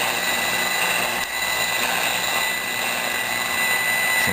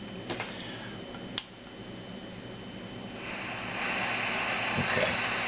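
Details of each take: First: Zenith Trans Oceanic Royal 3000-1 portable radio after capacitor replacement: steady station hiss with faint program audio and thin high tone, receiving normally. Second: Zenith Trans-Oceanic Royal 3000-1 portable radio after replacing several capacitors, audio amplifier confirmed working; steady hiss with a few sharp clicks, then louder static and no station on any band or tuning.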